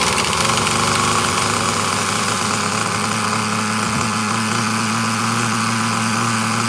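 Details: Traxxas Nitro Slash after fixing carburetor linkage that was messing up the carburetor: even, steady high-pitched buzz holding a settled idle without hunting or stumbling; the small nitro engine idles fine.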